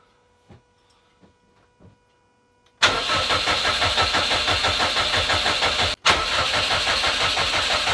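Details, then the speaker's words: Subaru Impreza (WRX-to-STi full rebuild), first start attempt in 3 years: the starter chugs at about three beats a second, pauses, cranks again and never fires. Crank no start. "I've tried cranking it again with a new battery and I've had no lock"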